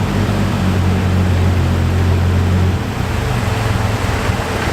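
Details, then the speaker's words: Toyota Supra, long sitting, jump-started off a truck because of a bad battery after the fuel and clutch repairs; deep, steady idle rumble settling into a slightly rougher beat, then cutting out sharply. "I was actually able to start it right up like no problem it started as you can see right there and it was running for probably like about 35 seconds"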